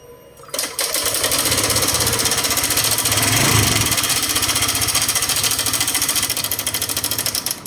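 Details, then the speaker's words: Honda Click 125i (2012) scooter idling with loud, rapid metallic clacking; cam chain rattle, suspected failed cam chain tensioner, to be removed and inspected. "เครื่องยนต์ดังมากนะครับผมเดี๋ยวเราจะมาถอดดูชุดกดโซ่เหมือนกันนะครับว่ามันเสียหรือเปล่านะครับน่าจะมีปัญหาตัวชุดกดสู้นะครับ"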